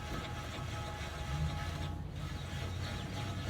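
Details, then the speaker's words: BMW E93 with a 40-60 mph vibration, new wheel bearing hub just installed, spun by hand: quiet, even low whir with no grinding or roughness; bearing turns freely and smoothly. "now that sounds great no more grinding feels smooth so i think we got to the bottom of it guys"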